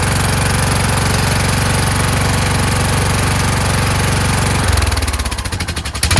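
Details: Kohler Courage single-cylinder engine mounted on a tractor, started on choke: lumpy chug that surges, then stumbles and changes pace. A return spring made it want to stop, and the owner suspects the throttle bracket. Rough running.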